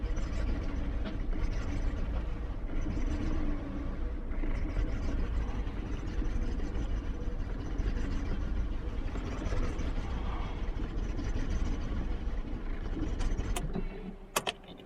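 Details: 2001 BMW 740iL V8 on a cold start after sitting 10 days at -10 to -25 degrees: rough, stumbling idle with hunting RPM and shaking, then it stalls; misfire attributed to moisture in the fuel.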